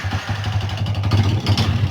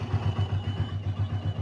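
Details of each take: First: Old Yamaha Vixion idling with throttle blips: harsh, clattery idle with uneven knocking from the cylinder block. The con rod was recently replaced. Worn piston and rings suspected, teardown planned. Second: Yamaha Vixion (old model) single-cylinder after engine rebuild for rough kletek noise blamed on a worn, scored block and piston: even low thumping about eight beats a second, no ticking or knocking, the earlier noise gone; normal idle.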